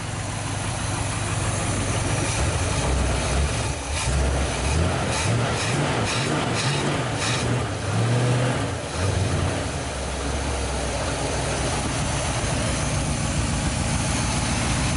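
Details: 1973 Dodge D100 V8, first start in 10 years: steady idle with a brief rev blip mid-way, settling back even with no misses; running fine, though transmission fluid low.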